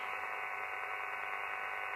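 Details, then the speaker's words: Elecraft KX3 receiver with RX IQ cable into Sound Blaster Pro sound card and KX3 USB control cable on MacBook Pro: constant hiss with steady buzzing band in upper mids; interference noise vanishes when either sound card or KX3 USB is unplugged, with or without USB hub. "I get this that is interference and it doesn't matter if I use a USB hub like this one or another one I get that noise"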